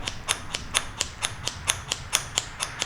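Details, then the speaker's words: John Deere D170 mower deck spindle removed, rocked by hand: sharp bright metallic clicks from the spindle with the largest gap, worn bearing play. "I have the three spindles with me if you take a look this one has the largest gap hear that"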